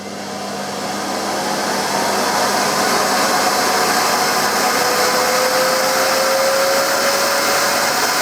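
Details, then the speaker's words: New UK-made Hoover Sensory Floormaster TS2265 bagged vacuum switched on at maximum power; motor hum swells slowly over several seconds to full-power rush, a normal soft-start feature meant to protect the motor. "up that's about one of the slowest ramp UPS I've ever experienced on a vacuum cleaner it it takes quite a few seconds doesn't it to get to full whack it's a it's a feature that is supposed to protect the motor"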